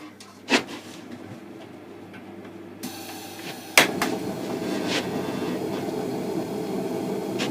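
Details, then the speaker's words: Small gas blower heater, a "little devil", not fired up for a while, started in a cold workshop: a few clicks, then a whoosh as it lights and settles into a steady, even roar; normal running. "i managed to get my little gas blower heater out called a clock little devil i'll see if i can fire it up hasn't fired up for a little while"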